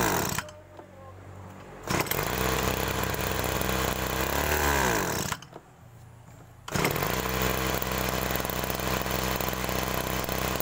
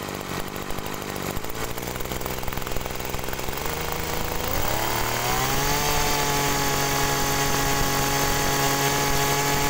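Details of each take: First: Agricultural sprayer small engine: it idles, then on throttle the revs sag and drag with an "ngok" sound instead of climbing cleanly; carburetor bog, a common fault on sprayer engines. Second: Agricultural sprayer small engine fitted with a known-good spare carburetor to test; idles steadily, revs climb smoothly to an even clean drone; normal running, suspected stuck pump ruled out, original carburetor at fault.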